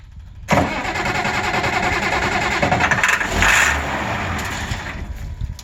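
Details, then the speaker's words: 190 XT tractor bought at auction, first start attempt on a temporary fuel pump rig with ether and throttle lever set mid: fires for a few seconds with a rough, uneven beat, then fades and dies; owner suspects fuel starvation, unconfirmed. "Gets fuel for a second and then it goes away, so I wonder if my"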